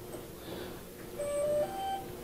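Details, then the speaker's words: Suspected failed ESC (propulsion module) on motor 3 of a DJI Agras T10 agricultural drone: at power-on only a short faint electronic beep, no motor twitch or spin-up and ESC LEDs stay off; motor swapped between positions 1 and 3 still fails in slot 3, so not the motor. "que acontece nenhum movimento no motor e não ativa os LEDs aqui mas tirei o motor três coloquei no lugar do motor um funcionou o motor um lugar do motor três não funcionou problema não é motor"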